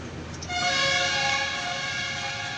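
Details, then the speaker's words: Maruti Swift, customer complaint of brake noise: loud, steady high-pitched squeal from hard, high-metal local (non-original) brake pads that have cut grooves into the brake disc. "यह जो पेड़ है यह local डलवा रहा है यह जो हार्ड है मेटल इसमें ज्यादा रहता है मेटल ज्यादा रहता है"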